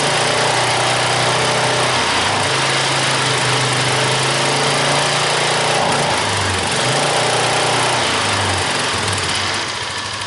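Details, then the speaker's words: Polaris Magnum ATV engine, not run for years, fresh oil, old stale gas: runs steadily then stumbles and cuts out repeatedly at a certain high RPM, like a rev limiter; worn exhaust camshaft lobe, visibly worn compared to intakes. "I did some research last night and apparently the exhaust lobe on the camshaft is a very common thing to wear out on these engines and quite a few other Polarises"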